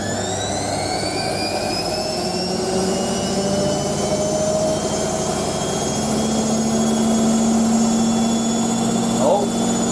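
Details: Hotpoint 9530 Electronic 1000 Plus washer spinning a large towel load after a boilwash: drum spins fast and even, motor whine climbing then settling to a steady pitch, no thumping or knocking; healthy, smooth final spin.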